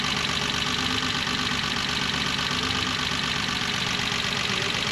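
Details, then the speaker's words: 1985 BMW E24 635CSi Euro spec straight-six at idle: uneven lumpy idle with irregular beat; misfire, with plug-wire pulls showing cylinders two and six are not firing. "this is not running well hmm sounds like i have a misfire so to diagnose it i'm gonna pull spark plug wires one by one to figure out which cylinders aren't firing"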